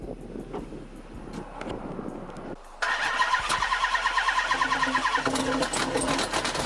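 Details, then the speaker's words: 2005 Chrysler 300C 5.7L Hemi after rebuild, crank had seemed locked but turns: steady starter cranking about three turns a second with occasional weak catches, never runs; has spark, fuel and air, no sound of smashed piston or dropped valve. "all right well as y'all can see it wants to start it just won't start it doesn't sound like a smash piston doesn't sound like a drop vowel it doesn't sound like anything"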